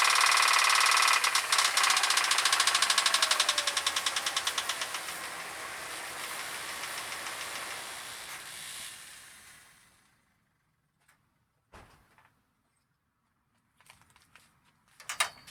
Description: 2001 Jeep Grand Cherokee Ticking sound from the engine. What is the problem? Jeep makes knocking sound when acceleration RPM occurs.